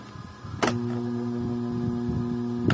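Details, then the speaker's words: Desk electric fan switched on: a click, then a steady low motor hum with no blade whoosh. The blades barely move although they are not stiff; the cause is a worn motor bushing. "kung maririnig niyo umuugong yung kanyang motor no bale naman matigas yan h naman siya matigas pero umuugong yan"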